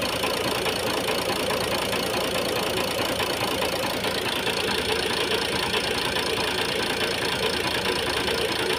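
Diesel idling with a hard, uneven clatter and a heavier knock recurring roughly twice a second. Cause suspected, not confirmed.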